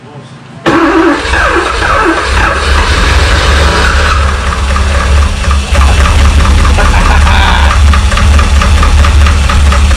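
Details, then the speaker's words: 1985 Porsche 928S first start after a seized fuel pump and dirty fuel filter were replaced, having sat over the winter with the oil not refilled; it was down a quart. Loud, busy idle with a fast, uneven top-end clatter: low oil level noise. "I don't like that noise? Unfortunately, that noise was a lack of oil. We quickly realized we had not replaced the oil."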